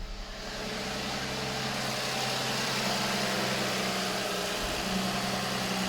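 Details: Toyota that had a battery warning light, idling after the alternator fault was fixed: the battery light went off on start and the alternator is charging well. Steady, even idle with a smooth low hum and no knocks, squeals or misses.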